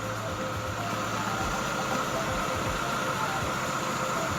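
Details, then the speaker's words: 2010 Chevrolet Aveo at idle, IAC valve reconnected after a test procedure, revs said to be normal again: steady petrol idle whose note wavers unevenly, revs hunting slightly; erratic idle, idle air control not regulating. "si lo observan y le ponen atención ojalá y se escuche el motor tiene las revoluciones normales esto debido al procedimiento que le realizamos a la válvula jack para que no ocurra lo que estaba pasando hace un momento"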